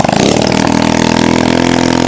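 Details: Kawasaki KLX110 pit bike, rebuilt with spare head and borrowed spark plug, possibly without oil: loud, raw, unmuffled single-cylinder bark at high revs, running open header because the exhaust was forgotten; throttle seems to stick slightly.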